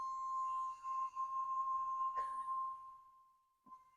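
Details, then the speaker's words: Peterbilt truck shut off, air pressure dropping low and remaining air dumping out: a steady, pure moaning tone holds a few seconds then fades as the air bleeds away, suggesting a leaking valve; the cause is suspected, not confirmed. "yeah unfortunately it's a sad sad song yeah well it's getting less but I'm sure that probably doesn't sound good on this video"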